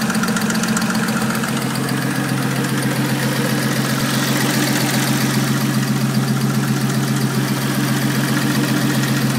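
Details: 2001 Audi S4 petrol engine at idle: steady idle under a loud, fast, regular ticking that keeps time with the engine, from the driver side; cause unknown to owner.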